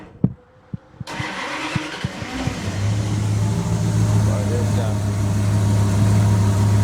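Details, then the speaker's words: 1929 Chrysler, ignition timing now 34° full advance with vacuum plugged (previously at least 20° and kicking back): a few slow cranking thumps, then it catches cleanly without kickback and settles into a smooth, steady idle; normal start. "But it starts real easy now. Before it kind of kicked back a little bit."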